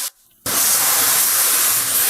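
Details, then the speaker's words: Heat pump during refrigerant charging: short silence, then a loud, steady, sharp hiss while the fitting is tightened and the hose freezes. Refrigerant is leaking at the charging hose connection. "Something's not right. Tighten it. I'm tightening it. The hose is freezing."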